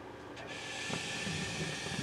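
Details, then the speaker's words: GE gas oven broiler using the same hot surface igniter as the oven burner, whose igniter had failed. The igniter glows and, once up to temperature, opens the gas valve; a soft whoosh and steady burner roar follow. Normal broiler ignition. "The broiler on this unit uses the same thing, the same Hot Surface Igniter, and you'll see it starts glowing. Once it gets up to temperature, it'll turn on the gas valve,"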